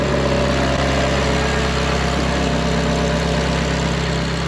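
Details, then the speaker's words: Fire-damaged Ferrari 430 after a two-year rebuild and sitting at least 2.5 years: steady, even, smooth idle with a low hum and no misses or knocks. Engine back up and running, idling normally. "Well, after 2 years, we were finally successful with the 430. It was back up and running, and my job here was complete."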